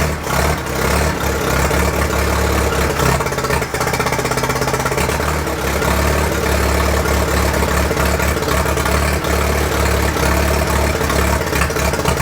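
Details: 1943 Case SC tractor, first run after years of sitting, with a little throttle: old engine runs but beat is uneven and lumpy; owner unsure if a miss or fuel mixture, suspects mixture, carburetor still to be tuned.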